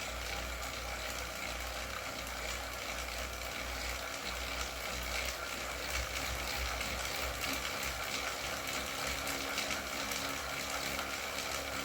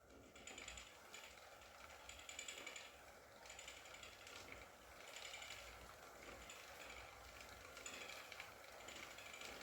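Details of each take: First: Wahoo KICKR CORE trainer with Zwift Ride, strapped to a rocker plate, pedalled at about 90 rpm and 170 W: steady even flywheel whir with no clicking. The intermittent known clicking fault is absent here; the unit was later replaced. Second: Wahoo KICKR CORE trainer with Zwift Ride, strapped to a rocker plate, during slow pedalling: faint dry clicks about once a second with each revolution. The issue seems to be a known one, and the unit was replaced with a KICKR CORE 2.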